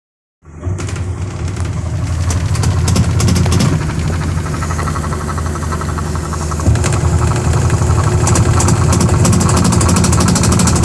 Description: Sharp Automatic washing machine repair. Very Noisy spin dryer. Defective tub assembly.